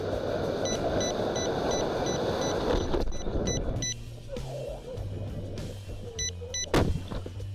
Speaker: you can hear the altimeter beeping the previous altitude through the entire flight indicating that we just never armed it